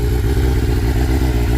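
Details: 1996 Yamaha FZR600 four-cylinder running again after being backed into: steady, even burble at idle with regular firing pulses, no knocks or misses; normal idle.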